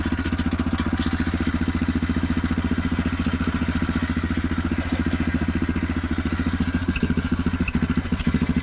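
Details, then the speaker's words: Neglected Yamaha Grizzly 660 ATV found with no antifreeze and no oil, idling: rough idle with sharp, uneven chuffing at every firing stroke, about three to four a second. Exhaust leaks are bad. "It's got exhaust leaks bad."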